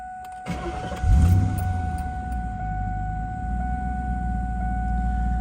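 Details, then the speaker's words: 2000 Mustang GT, about 69,309 miles, stock exhaust, clean startup after an earlier AC clutch rattle. Engine catches after a brief crank and settles into a steady, even low rumble with no rattle; idles beautifully. "So it idles beautifully."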